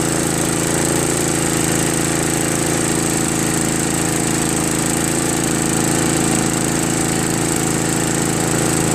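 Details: Craftsman 5 HP 24-inch two-stage snow blower with Tecumseh engine, just fitted with a new carburetor, at full throttle: steady single-cylinder drone with no surging, misses or knocks; runs smoothly and normally.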